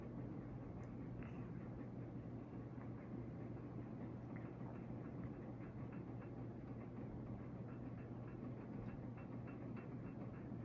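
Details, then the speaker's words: Boston Harbor Hugger 42-inch ceiling fan on high speed: a soft, steady low hum with an even airy rush and no ticks or wobble. Running smoothly, quiet, with strong airflow. "It's pretty quiet on the speed, which is nice. It's pushing a very good amount of air for its size."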